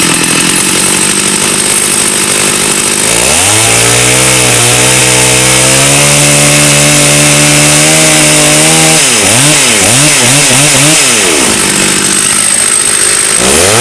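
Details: Stihl 084 AV chainsaw, about 35 years old, after a carburetor tune-up of the L and H screws: crisp rise to a steady high rev with sharp blips dropping back cleanly; normal running.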